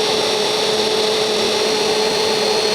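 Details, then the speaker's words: Honda City electric radiator fan motor, previously weak and causing high engine temperature, bench-tested on a car battery after repair: steady strong whoosh of air with an even motor hum and constant pitch, no stalling. Normal running. "ถ้าพัดลมแรงต้องได้ยินเสียงลมเป่าแรงๆเลยนะครับนี่นะครับพัดลมทำงานได้ตามปกตินะครับ"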